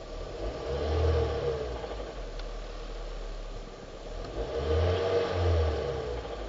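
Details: 2005 Hyundai Sonata 2.4 L (119 kW) engine revving: a dull knock under the engine note that gets heavier as revs rise and fall; worn crankshaft bearings, fixed by replacing them.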